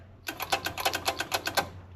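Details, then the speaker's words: Wrecked 5.0 V8 Mustang bought as a non-runner, power wired directly to the starter solenoid: fast dry ticking, about seven clicks a second for a second and a half, with no cranking; owner suspects a failed starter, not confirmed. "I think the starter took a crap. I think that's what our issue is."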